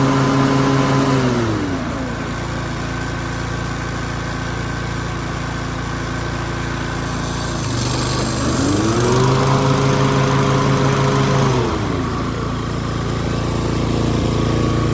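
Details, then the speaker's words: Toro TimeMaster 30" mower after replacing the broken blade brake cable (133-1998). The engine runs smooth and steady, its pitch dipping briefly as the blades engage and load it, then recovering cleanly; fixed and normal. "Put the handle, it should engage the blades, and you should see that spin."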